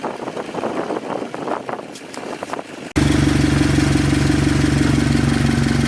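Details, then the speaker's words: Subaru BRZ FA20 engine at idle before being pulled for a build: after a short noisy start it settles into a fast, regular light tick about three per second, a valve shim tick, worse on one side; knock unknown, not yet confirmed. "you can hear the valve shim on this side there's a little bit over here but not as bad as the one over here on the back side it is unknown if it knocks we will tear it apart now"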